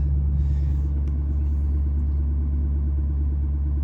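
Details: 2019 Ford 6.7 Powerstroke diesel in high idle via upfitter switch 3 and resistor mod, parking brake not set (truck reads brake on): steady, even diesel drone at raised speed without hunting or misses; normal high idle.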